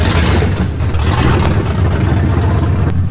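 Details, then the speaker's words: 1999 Mustang GT with a cam, first start after rebuild, running on open headers: loud, deep, even V8 rumble with a steady firing beat, no misses or knocks; a normal, smooth idle. "runs and it actually sounds pretty good it's a little loud obviously with open headers"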